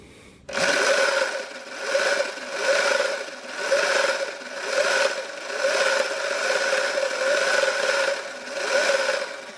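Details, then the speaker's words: Sur Ron electric bike, swing arm area possibly damaged after being hit in a race, on the stand in eco mode with primary drive and jack shaft: steady whirring whine with a rhythmic rasp about once a second; chains tightened and lubed, owner suspects jack shaft bearing. "Doesn't sound normal, right? It sounds like it could be the chain, but I've already tightened the chain already. I've tightened the chains and I've lubed the chains, and it's still, you know, making that sound. I think it's the jack shaft bearing, so I'm gonna have to take the jack shaft out."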